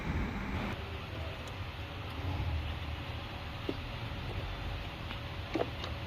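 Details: Lexus engine after repair of an overheating issue: catches and settles into a steady even low rumble with no knocks, misses or hunting; idling healthy.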